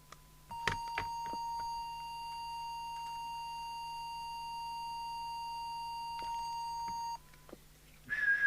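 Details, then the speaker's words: 1981 JWR M2 UK CB27/81 mobile CB radio during service, transmit audio whistle test: clean, steady mid-pitch whistle tone held about six seconds without wavering or distortion; TX audio spot on. "so give it the quick whistle test wow it looks spot on"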